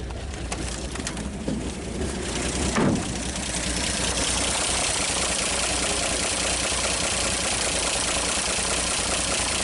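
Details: 1939 Chevrolet Master, first start in 48 years, carburetor not rebuilt: settles into steady even idle after brief blip, hiss over top, no knocks or misses; running fine.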